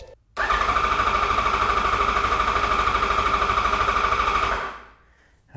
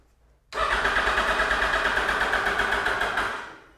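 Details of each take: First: 2008 Yamaha FZ1 after oil/water pump and clutch replacement for an engine whine: cranking to prime the new oil pump after battery charging; fast, even starter cranking at about three compression beats a second without firing, strong crank. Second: 2008 Yamaha FZ1 after oil/water pump and clutch replacement, cranking to prime new oil pump after sitting a long time: starter turns slowly and laboriously, about three strokes a second, then fades; weak, dying battery, no oil light seen.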